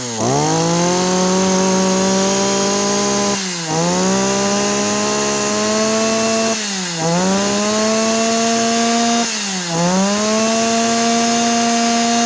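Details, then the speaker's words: Yanmar (Kyoritsu) 209D small two-stroke with the coil switch signal wire rerouted, throttle test: snaps cleanly to high revs four times, pitch holding steady on each blip, strong and even with no misfire; healthy revving. "เดี๋ยวสตาร์ทแล้วไปเร่งรอบเครื่องดูว่าเจ้านี้มันจี๊ดแค่ไหนครับ"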